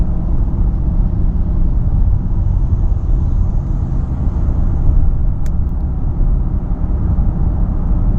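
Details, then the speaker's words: 2012 Ford Fusion SEL in the cabin at about 60 mph: a low, steady, more pronounced droning hum under the road noise with no knocks; new balanced tires, car tracks straight, front or rear source unknown; speed-dependent hum. "You can hear more at 60, more pronounced, the humming, but it's there."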